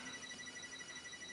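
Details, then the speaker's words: Commodore 4040 disk drive fitted with suspect motherboard, apparently heat-related failure appearing 4 min 29 s into testing and vanishing with fan cooling; power supply suspected, then apparently not at fault: steady high whistle over faint hum; drive fault, cause unknown. "You hear that noise? 4 minutes and 29 seconds into the testing, we have a failure."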